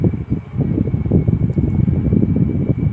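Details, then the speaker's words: Sanex wall-mounted fan after repair, speed winding wires reconnected outside the motor to neutral and supply: steady airy whoosh with faint constant hum, no rubbing or rattle; blades now spin fast and blow strongly, normal running. "oke putarannya kencang anginnya berhembus kencang"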